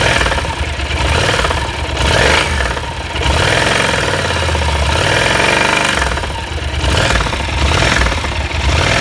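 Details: Yamaha TDM (4TX) motorcycle engine idling and blipped: rough, heavy knocking under the engine note that hardens on revs; connecting rod big-end bearings worn out.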